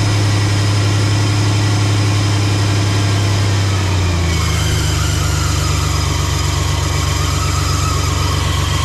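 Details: 1993 Chevy Silverado 4.3 V6 automatic after fuel pressure regulator replacement, previously erratic idle: steady, even low hum settling slightly lower partway through.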